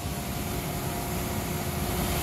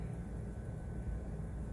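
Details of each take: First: York gas pack rooftop unit, indoor blower after replacing the fan assembly with new wheel, bearings and shaft (old bearing was bad): steady low hum and even air rush with faint steady tones, no rubbing or knocking. Normal blower operation after repair. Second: Rooftop HVAC unit indoor fan assembly, after work on it: low rough rumble with uneven droning grind beneath airflow; bad fan bearings, likely both need replacing.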